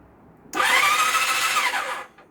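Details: Temporary motorcycle engine swapped into a project bike, cranked with spark plugs removed after fixing a pulled starter-solenoid signal wire: short clean electric whir rising, holding, spinning down, no clicking or grinding; starter cranking freely.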